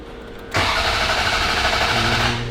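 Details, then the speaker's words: Ferrari 348 after an engine-out timing belt major service and oil pump service: about two seconds of steady starter whir with no firing, ignition coils disconnected, cranking to prime oil pressure before the first start; injectors still spray fuel. "remind you at this point we do have the ignition coils disconnected so nothing's necessary to be pulling"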